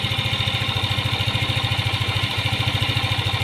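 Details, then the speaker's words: Yamaha Aerox 155 scooter, fully hot, after replacing the intake rocker arm, water pump bearings and seal: even, steady idle with no rattle or tick; the hot-engine rattle is gone. "halos abot na hanggang dito yung init so nawala na mga tropa yung tunog jolin niya rito"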